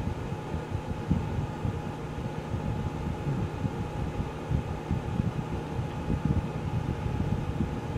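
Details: Geneva infrared quartz element space heater, electronic control, after full warm-up with elements switched off by remote for cool-down: soft steady whoosh and faint constant hum, no scraping or ticking; cooling fan runs normally.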